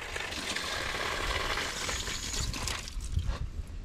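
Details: Outdoor hose tap that quacked and caused water hammer, after fitting a new tap washer and grease: soft, steady rush of water with no quacking or chatter; flowing smoothly and quietly.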